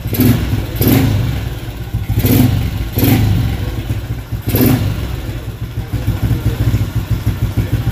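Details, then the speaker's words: Motorcycle with freshly fitted SCK back-pressure exhaust, stock CDI, carburetor: five sharp clean throttle blips over a deep exhaust rumble, no misfire; normal free revving with back-pressure exhaust. "Exhaust dia back pressure SCK. Dan inilah bunyi back pressure."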